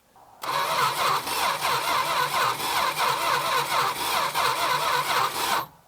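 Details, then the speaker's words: 1966 Plymouth Barracuda Formula S engine, sat for decades, first start attempt; vacuum advance hose had come unplugged; steady quick cranking, about four compressions a second, never fires; same spark plug keeps coming out wet; owner suspects lost spark. "starting to wonder if we lost spark go aad and turn the key off it's off I'm going to pull this spark plug out again spark plug's wet again"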